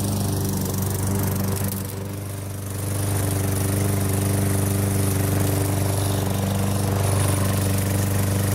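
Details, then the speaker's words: Sears Craftsman 6.75 HP mower engine just swapped onto a Lawnboy 20" self-propelled deck, fresh oil change, blade fitted, first start after sitting a year or two: steady even beat, brief dip around two seconds, then strong smooth running; healthy. "I knew it was a good engine I haven't started that for at least a year it might have been two years because it's been sitting on that old rotten rusty deck"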